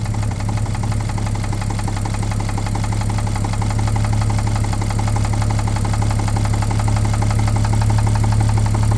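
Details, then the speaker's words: 1950 Chevrolet 3800 one-ton with Chevy 235 six, abandoned since 1977, low lumpy idle with steady deep knock about four per second; 60% oil additive treatment did not remove it: worn babbitt rod bearing knock. "so naturally we used the full 60% and uh it did not remove our knock"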